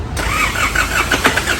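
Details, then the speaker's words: 2005 Isuzu D-Max diesel, towed in with a no-start, start test after parts replacement with the belt not yet adjusted: sluggish, labored cranking from a weak battery before the engine catches and fires up. "เดี๋ยวเราทดสอบการสตาร์ทก่อนแบตยังไม่ได้ง่วงคือแบบไม่รู้พวกเอาตันเลย"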